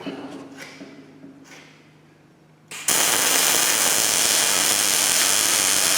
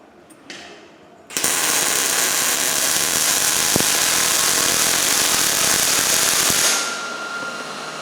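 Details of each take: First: New Miller Millermatic 211 MIG welder on auto setting, beveled tubing joint, about 10 degree torch angle, half inch stickout: after a few clicks the arc settles into a steady, even frying crackle without sputtering; normal MIG welding arc. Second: New Miller Millermatic 211 MIG welder on steel about 1/8 inch thick, with the voltage set too low and the wire speed too slow: a crackling, hissing arc with an uneven stutter instead of a smooth sizzle; the weld is skipping with poor penetration.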